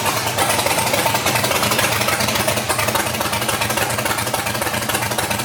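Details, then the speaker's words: LS-swapped Chevrolet S10 with professional tune, fuel pressure 57–60 psi, open exhaust before Hooker exhaust install: loud raspy idle with uneven lumpy beat; starts and idles but won't rev or pull; O2 sensors suspected. "It still just doesn't want to run. It'll start up, it'll idle, but it doesn't want to rev up."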